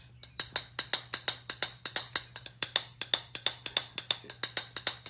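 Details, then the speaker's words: Small-block Chevy pistons from a teardown (engine planned as a 383), rung upside down like bells: a quick series of metallic pings, with the number three piston ringing higher and longer; that cylinder's plug was oil-fouled; cracked piston. "This is like a kind of a deeper or a lower tone. And this one is a little bit higher pitch. And the one that's making the more noise is number three."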